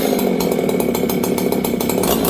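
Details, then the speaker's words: Old Jonsered 630 chainsaw with new Husqvarna full wrap bar, carb last set in winter: burbly, uneven four-stroking warble instead of a clean scream; mixture running rich. "Last time I ran this, it was winter, and you guys can hear it right now. It's rich."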